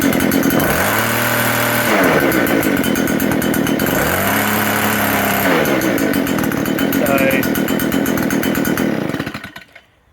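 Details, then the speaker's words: Small two-stroke leaf blower with rough idle and power loss, run with the carbon-clogged part removed; revs up and settles with light mechanical clatter, normal for this motor, running clean and much better, carbon buildup is the cause. "It's running a lot better than what it was. This motor always does run a bit clanky, so that's normal."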